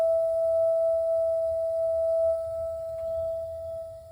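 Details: Tonal humming from an A.O. Smith water heater: a steady, pure singing tone held at one pitch throughout over a faint low rumble; cause unknown.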